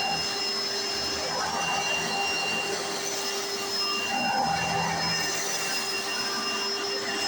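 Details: 1995 Hoover Encore Supreme U4261-930 upright vacuum, barely used, bought used in great condition: steady high-pitched motor whine over loud even brush-roll whirr, no surging or rattles; owner says it sounds perfect, brush roll like a Singer vacuum; normal running.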